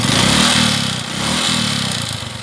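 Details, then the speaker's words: Suzuki Shogun 125 RR reassembled during a major service, smooth at idle: revving up and settling twice brings a dry metallic clatter. It is piston slap rather than valve noise; a new cylinder block was planned. "Bukan solareflect Ya bukan suara klep itu suara piston c-tra"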